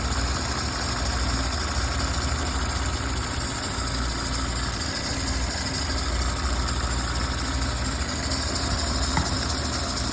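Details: Audi A6 3.0L at idle: steady high-pitched hiss and squeal over the engine as coolant leaking from the water pump vacuum solenoid valve contaminates the alternator belt; water pump, solenoid valve and vacuum hoses need replacing.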